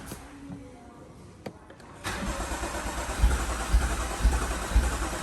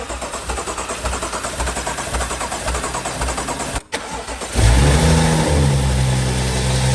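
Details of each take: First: BMW M135i after full engine rebuild following seizure, first start attempt: after a quiet start, steady rhythmic cranking thumps about twice a second without firing; fuel still not through to the engine. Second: BMW M135i after full engine rebuild following seizure: steady cranking about four seconds, then engine catches on a cold start, a bit louder than usual, settling to a smooth even idle; clean healthy start.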